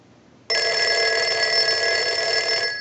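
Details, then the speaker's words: Western Electric 302 rotary desk telephone, final checks after repair of a ringing issue, rung repeatedly with a line analyzer: loud, even metallic ring about two seconds, clean without buzz or sputter; normal bell ringing. "we want to ring the telephone with the analyzer so we'll go ahead and do that we're going to let that go a few times since that was one of the issues I'll let it go one more time"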